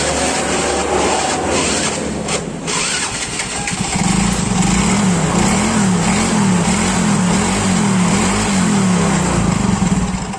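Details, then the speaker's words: Yamaha Mio Soul GT, unused for several days and would not start, kick-cranked: the small single-cylinder putters into life and settles to a steady, even idle with a slightly wavering beat. The fault turned out to be only the spark plug. "Oke, bisa teman-teman lihat motornya itu sudah hidup lagi. Dan ternyata kendalanya cuma pada bagian busi."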